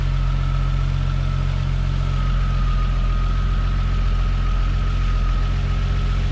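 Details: Toyota Supra Mk3 7MGE turbo conversion after switching from distributor to 2JZ/IS300 coils with stock 7MGTE igniter; starts fine, tach not working; steady even low idle, no misses, ticks or knocks: normal idle.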